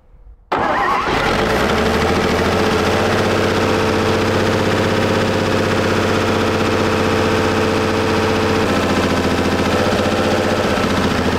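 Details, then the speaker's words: WWII-era Chevrolet truck six after decades in a barn catches after brief crank and idles fairly evenly but blows blue exhaust smoke, possibly just oil added being burned off; blue exhaust smoke. "what's it mean when your exhaust is blue oil oil but that could be all that we put in there that's burning out"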